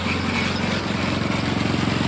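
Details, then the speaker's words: Small engine on a vintage gold trommel wash plant, water pump now on a larger pulley spinning way slower: steady even drone with quick regular firing pulses, no surging; water in the chute, consistent, less pulsy; 3/4 to 1 inch line upgrade planned. "So now it's spinning way slower. Now I got water in the chute. And it's more consistent. It's not so pulsy."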